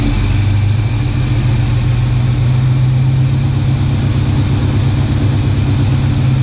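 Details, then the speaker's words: Classic Chevy C10 V8 after a rebuilt distributor and retimed ignition to cure spark knock: deep, smooth, even idle with no pinging or rattles; normal idle. "We got this timed and everything. It's running real good."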